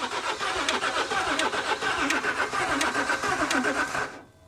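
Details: L320 Range Rover Sport non-runner on jump pack, weak battery: starter churns about four beats a second for four seconds, then stops; engine never catches, appears to hold compression; crank no start.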